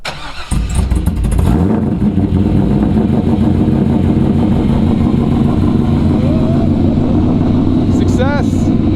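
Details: A 2004 C5 Corvette V8 with a BTR Stage 2 cam, not yet tuned, makes a cold start on a chilly morning around 40 degrees. It cranks briefly, catches, and settles into a loud, choppy, steady lopey idle, which is healthy.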